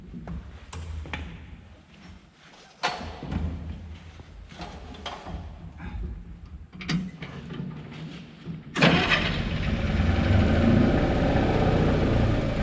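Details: John Deere 720D diesel tractor with pony start engine, previously would not start: scattered clunks and handling noise, then the engine catches and settles into a steady idle; no-start issue fixed, normal start and idle.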